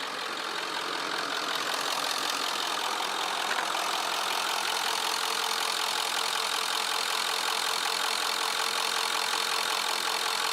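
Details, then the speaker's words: 1996 Ford F250 7.3 Power Stroke diesel, previously no-start with very low control pressure after a lift pump replacement, now running after fitting a repair connector: steady, even idle clatter about three beats per second, no miss or knock; normal idle. "as you can tell the vehicle started and it's running really good customer is very"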